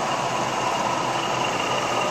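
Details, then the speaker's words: Supercharged engine with top-end rebuild and Comp Cams Evolution lifters, 14 hours run time, hot after about half an hour running, heard under the hood: steady even idle with low dull supercharger gear growl, normal. "can hear a little bit of dull growl from the supercharger gears that is normal"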